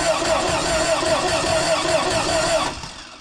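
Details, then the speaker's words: Air-cooled 2.0 VW Vanagon Westfalia, cranking to build oil pressure before first start: even, steady starter cranking with regular compression rhythm, no firing; good compression, no oil pressure on gauge yet. "Sounds like good compression. I don't want to burn up the starter."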